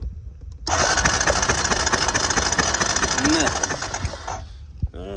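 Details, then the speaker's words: Honda Recon 250 ATV, cranks but won't start: steady starter whir for about four seconds with no firing. It has fuel, and fires on starting fluid, but there's no spark; a bad ignition coil is suspected. "And we're still getting no spark. So, we probably have a bad coal,"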